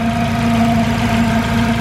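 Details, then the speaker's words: Turbocharged Honda CR-V: a steady, quiet idle with a smooth low hum and faint whine, no misses and no blow-by smoke. The owner wonders if the humming is a tight-looking timing belt. "man, I love how quiet this motor is, too."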